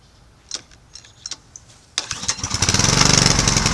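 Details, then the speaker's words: Snuba dive-rig compressor, small petrol engine, pull-start with choke on after storage: a few quiet clicks, then it catches on the first real pull and settles into a fast, even putter while building pressure; starts cleanly. "Boy, that's a good sign. Cranked up on first pull."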